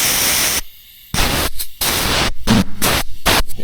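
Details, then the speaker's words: Blow-off valve bench-pressurized with compressed air: repeated bursts of sharp air hiss with short silent gaps. This valve leaks. "And it's not it's leaking out of the bottom here. It's not leaking out of the valve itself."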